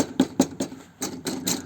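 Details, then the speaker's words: Fiamma F45S awning on a van roof rack, driving: light uneven clicking rattles in quick bursts over road drone. Foam was added where the legs rest in the casing, greatly reducing it; the remaining rattle is presumed to come from the feet. "Obviously when the awning closes with that little bit of foam, it still closes, no gaps, nothing like that. There is, as you can hear, the little rattle."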